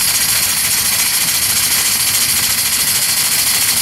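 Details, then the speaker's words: Worthington steam pump on 7-1/2 gauge Clishay live steam logging locomotive, hot boiler, pumping water out to the fire hose: loud steady steam hiss with soft, slightly uneven pulsing about three strokes a second; pump working normally. "Now it's pumping water out of right here to go onto the fire hose."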